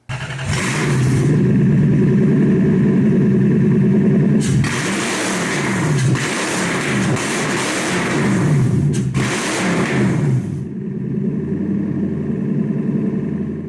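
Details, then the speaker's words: Lexus IS300 with swapped 1UZ V8 at first startup, open headers: deep, loud revs blip up and settle to a steady burble, crisp and even with no knocks or rattles; surprisingly quiet at idle. Healthy V8 revving, running great. "the car sounds like a freaking beast when you rev it it's open headers right now and it's actually surprisingly quiet when you let it idle"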